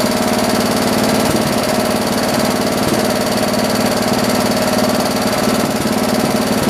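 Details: John Deere 112 round-fender tractor, Kohler K181 single-cylinder, after governor and throttle linkage adjustment and new carburetor: steady fast even chug holding speed with no hunting or surging; now throttles up and runs healthy, idle perhaps slightly high.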